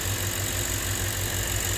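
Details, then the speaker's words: 2007 Lexus IS250 crank-no-start, possibly jump-started backwards, MAF, throttle and coil codes, after repair: quick regular even idle pulses without miss or knock; runs normally after repair. "I think uh I think we fixed this guys I don't see a mass airflow thing in here but uh I'm confident that we fixed it in here yeah that's good"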